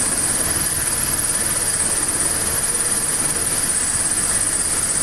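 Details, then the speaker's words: 1979 Triumph Spitfire small four-cylinder, revived after 20 years sitting and tapping a sticking carburetor, idling smoothly and quietly with light hiss, no misses or knocks; normal idle. "I think we can just let it idle. But it's running though. The little engine it could. We'll just let it idle for a minute."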